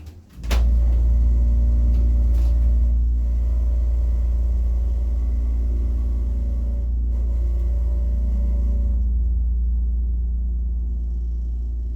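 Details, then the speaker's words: Original piston motor of a 1940s–50s Rotary/Florida hydraulic elevator: deep, steady hum with an even low throb about four times a second, smooth and unchanging; normal running. "all right let's listen to the motor it has its original motor yeah it's a piston"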